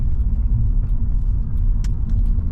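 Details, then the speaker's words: Vauxhall Omega V6 estate, getting a new timing belt: low, even rumble with a faint light regular tick like a metronome at idle; silky smooth, normal idle. "no tell you that V6 engine is silky smooth when it's idling you can hear it just ticking away gently like a metronome"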